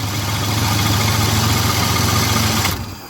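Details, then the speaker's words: GM Andino truck with a Ford V6 from a Pinto, temporarily wired: a steady thumping idle for under three seconds, then it dies at once when the jumper is disconnected, cutting ignition power. A carburetor swap is planned. "The reason it's cutting off as soon as I disconnect that down there is because it's cutting off not just power to the engine, but ignition and just everything that has to do with this."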